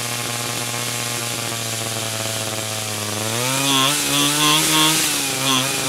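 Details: 49cc/47cc pocket bike two-stroke after carburetor replacement for a non-running condition: high buzzy note holds steady, then climbs cleanly and blips without stumbling; running and revving properly.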